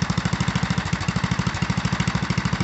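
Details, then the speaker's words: 1974 Sears ST/16 tractor, Briggs and Stratton 8 hp single cylinder, idling after pushing a 1999 Ford Ranger: even thumping about fourteen beats a second, no misses, idle a touch fast; owner may lower the idle screw slightly. "it almost almost sounds like i could idle it down some more i might might do a little tweaking on that uh and that idle screw"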